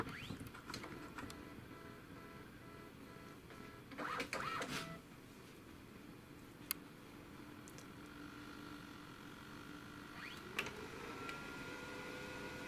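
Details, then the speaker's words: Brother DCP-7030R/7032 laser MFP switched on after reassembly with the cartridge installed: motor whirr with irregular knocks and clicks through the cycle; knocking at power-on, cause not yet found. "Угу что-то стучит что что это такое"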